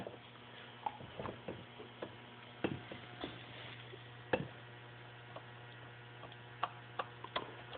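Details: 2007 Ski-Doo Rev 800R engine out of the sled, crank turned by hand: irregular dry clicks from a rough crankshaft main bearing after belt debris pulled the seal about 500–800 miles earlier; engine had been rattling.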